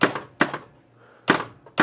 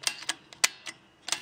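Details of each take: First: 1967 Williams Magic City electromechanical pinball, scoring from pop bumpers: points come slowly, then sharp uneven solenoid thunks, about seven in four seconds, as the score reels stumble once scoring reaches 100 points; score reel malfunction. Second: 1967 Williams Magic City electromechanical pinball, number one score reel after shortening its weak spring by about four coils and rebending the end: crisp even clicks, about eight in under two seconds, no drag; reel now steps smoothly.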